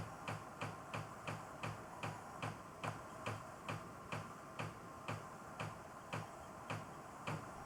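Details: Knocking from a hot water pipe when the master bath sink hot tap runs: even, hollow ticks about twice a second, likely the pipe moving against framing, walls or a vent pipe and needing a hanger or padding.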